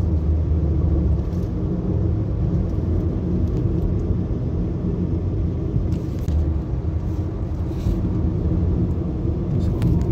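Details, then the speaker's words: Nissan Sentra at 131,860 km, road test after repairing a cylinder 2 misfire (P0302) and clearing the code: low, steady engine drone under road rumble, pulling smoothly with no stumbles, surges or jerks; no misfire remains. "so so far ayos naman na wala na tayong DTC wala na ring misfire so i-road test na lang muna natin pero okay na yan"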